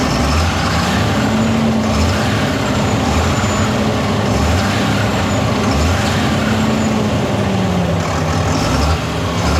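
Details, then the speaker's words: Fendt 936 tractor Deutz diesel, warm, under load at about 1500 rpm: heavy drone with uneven lumpy beat every second or two and cab vibration as a cylinder drops out; misfire from coked injector. "а такое ощущение как будто цилиндр перестаёт какой-то работать отказ Трои какого-то цилиндра Да"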